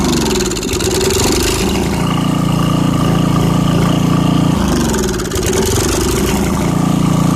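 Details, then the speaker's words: 1989 Briggs & Stratton 13 cu in 5hp engine with 6:1 gear reduction, off a dethatcher, restarted after sitting about three years: idle surges up and down every few seconds and wants to die off choke; jet probably slightly obstructed, carb likely needs cleaning. "it's surging a little bit if you take it off choke all the way it wants to die which means the jet is probably slightly obstructed"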